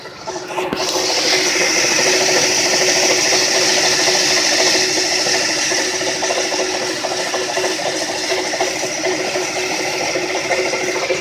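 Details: 130 amp alternator, about two years old with 20k miles: a harsh, fast ratcheting rattle of about three clicks a second over the running engine, progressively worsening, shown at its worst; crank pulley and tensioner suspected but ruled out; worn alternator bearings, replaced.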